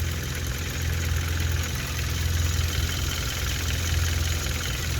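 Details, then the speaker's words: 2016 Hyundai Veloster Turbo DCT GDI engine, fully warmed up, during CRC intake valve and turbo cleaning: steady even idle with the usual light direct-injection injector ticking, no knock or miss; sounds normal. "still sounds like a radley tractor like all gdis and if anybody asks that's my microphone so when i'm at the track i just don't i just leave it under here it's not worth taking back and forth it sounds fairly normal"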